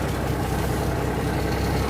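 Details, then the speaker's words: 1979 Kenworth W900A under restoration, with a new air governor and running from a temporary 5-gallon fuel can, started in neutral: the heavy diesel fires right off and runs steadily with an even firing beat and no knocks; healthy running. "Some neutral. Hit the key. Should fire right off."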